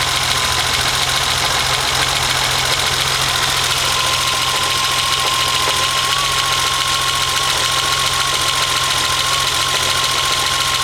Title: BMW 2002 with M20 2.7 engine - slight misfire